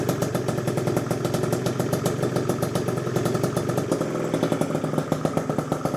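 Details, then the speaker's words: Freshly built Gilera Runner with PM Tuning 172cc two-stroke Piaggio engine on premix, first starts and heat cycles, very light throttle: crisp, deep popping at a steady quick beat with light blips; runs evenly and healthy. "Well, the runner is finally running. I actually started up about 4 times now, got it to temp and let it cool down."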